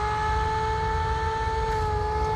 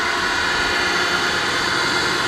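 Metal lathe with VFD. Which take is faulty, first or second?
first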